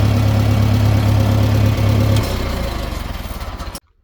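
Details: International IH 504/2504 backhoe tractor with new cap, plugs and wires and cleaned carburetor: steady, even low idle, then switched off and winds down smoothly; stalls randomly under load after 10–20 minutes, probably fuel delivery.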